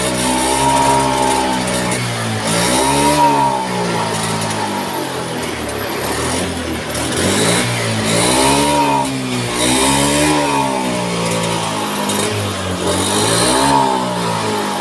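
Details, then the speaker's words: Honda Scoopy scooter, hard to start, just fitted with a new battery: revs surge up and sag back every couple of seconds, stumbling and never clearing, won't take throttle; a weak fuel pump reads below the expected 40 pressure, causing fuel starvation misfire. "Oke, lalu kita coba starter ya, karena baterainya sudah kita ganti dengan yang baru ya. Oke, dah hidup sobatku, cuman merepet, tak bisa digas."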